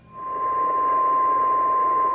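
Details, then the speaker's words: HF ham radio receiving at 14.277 MHz in the 20 meter band: loud unbroken pure tone over soft hiss, a steady carrier line on the waterfall; persistent RF interference later traced to a lighting controller. "In the middle of the 20 meter band, if I tune in 14.277, 277. You'll see this line on the waterfall. And what I have here is a consistent loud tone."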